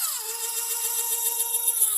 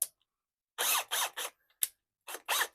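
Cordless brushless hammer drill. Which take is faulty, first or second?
second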